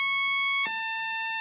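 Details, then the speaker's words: NE555 DIY electronic doorbell kit after assembly with a replacement 555 IC, on 9 V drawing 87 mA; pressing and releasing the button gives two frequencies, a clean tone dropping to a slightly lower steady pitch partway through, working normally. "and release, two frequency is generated."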